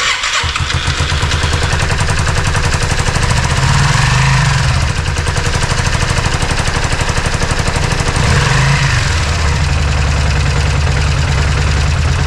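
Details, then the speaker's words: Yamaha Virago 535 after being towed, tank emptied and refilled with three liters of good gasoline, fuel pump not making its usual noise: engine catches and chugs unevenly a few seconds then dies; stalls after starting, owner suspects bad fuel or fuel pump. "What happens is that it turns on, it doesn't sustain and then it turns off, right?"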